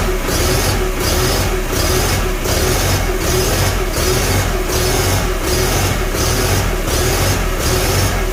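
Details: Farmall Super A antique tractor, start after a magneto rebuild and timing adjustment: a steady, even-firing idle with a relaxed thumping beat and no misses or stumbles. Normal idle, the engine is running right.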